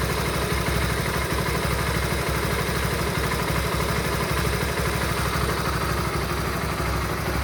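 A steady idle with an uneven clattering tick about three times a second; something's off in the engine, cause not pinned down.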